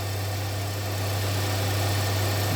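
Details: 2017 Hyundai Santa Fe Sport 2.4 with a previous P0301 cylinder 1 misfire, restarted after the work with codes and check engine light cleared: smooth, steady low idle with no stumble or miss. Normal idle.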